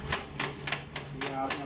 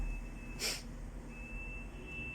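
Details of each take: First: HP LaserJet P3005 printer: sharp, regular clacking three or four times a second over low motor hum; slipping drive gear, also causing pages to hang mid-print and paper jams. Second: HP LaserJet P3005 after gear repair fixing gear noise and paper jams from slipping gears: a click, then motor and rollers run with an even hum and soft regular ticks, no grinding, while printing a configuration page; printing normally.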